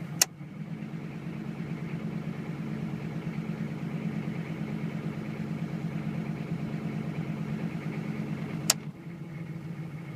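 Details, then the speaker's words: 1996-2000 GM 6.5 diesel (OBDII), cold start, on wired high idle switches (1070, 1350, both 1600 rpm): steady even clatter at raised idle with no misses or knocks; normal high idle. "next one is 1350 I believe and then if you hit them both you get 1600 so that's how you do hiatal switches on an obd 265"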